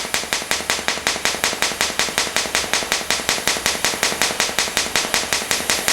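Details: Fronius TransSteel 2200 in TIG mode with pulse frequency set to about 5.4: sharp, even, metronomic crackling pulses about three a second, a normal pulsed TIG arc.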